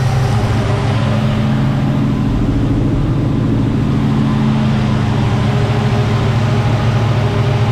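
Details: 1975 Chevy C10 with 454 big-block V8, carbureted, just after a new fuel pump restored fuel delivery: deep, steady idle with an even low rumble, no misses, knocks or stumbles; normal idle.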